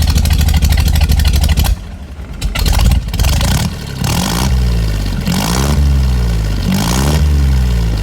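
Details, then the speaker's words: 1953 Willys Jeep CJ3B with new 12-inch Cherry Bomb mufflers and turn-down tips replacing the old exhaust; steady deep idle, then hard throttle blips climbing and falling cleanly with loud, throaty, mean open exhaust note; healthy. "That sounds a lot better, a lot meaner. I'm really impressed at how this little gauntlet sounds with an open exhaust system like that. It sounds pretty mean."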